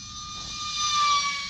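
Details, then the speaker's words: E-Flite UMX MiG-15 28mm EDF RC jet on a full-throttle high-speed pass: smooth, steady high-pitched fan whine with rushing air swelling as it passes; healthy at full throttle. "So that's full throttle. I'm not going to break any airspeed records, but for a little sucker, it's totally awesome."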